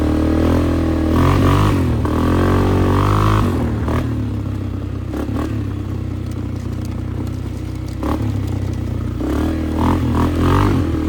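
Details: Flood-repaired 2001 Polaris Sportsman 500 HO on test ride with rigged, zip-tied aftermarket exhaust: loud throaty single-cylinder thump swelling and easing with throttle, no misses; healthy.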